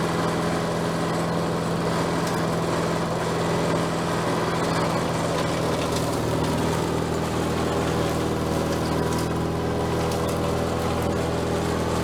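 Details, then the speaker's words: Bolens 22-inch self-propelled mower, small single-cylinder engine, just revived: steady, even speed with a clean, unbroken drone, no misses or knocks; self-propel works, cables need slack taken up; running normally. "think it sounds good what do you think I think I needs need to run it a little bit more self-propelled works probably straighten up those cables just a little bit more to take the slack off of there but I mean other than that it's running like it should"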